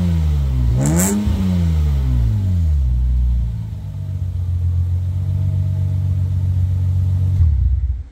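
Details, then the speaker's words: Lexus IS200 exhaust with rear muffler removed, heard from behind the car: loud, deep booming low tone rising sharply on a quick blip, then settling to a lumpy idle; pleasant but a bit noisy. "I don't know if the camera will capture it properly at this point but i have to tell you that the sound is really nice it's such a nice low tone it's not that much strong although it is a bit noisy"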